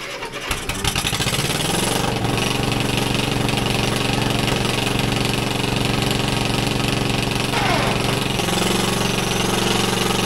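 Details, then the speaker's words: 1964 Caterpillar D8H bulldozer that had sat probably 15–20 years, cranked by its pony engine: the big diesel chugs unevenly before slowly catching. The hesitant start was from air in the fuel lines, and a turbo issue was also noted. "turns this big beast over just fine and uh there was some air in the lines that's why I took a little bit of time to uh chugged to life there"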